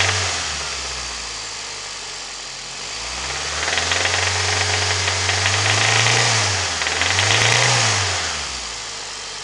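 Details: Petrol engine revved up and down twice, with a harsh metallic knocking through each rev rise; rod knock from a thrown rod bearing.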